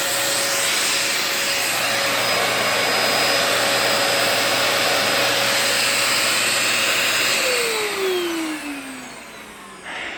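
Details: 2004 Dyson DC14 Animal vacuum, fixed up and on its first run since a new HEPA filter: a constant high whine over the airflow roar that winds down in pitch at switch-off. The owner suspects the bearings, saying they whine a bit after a while.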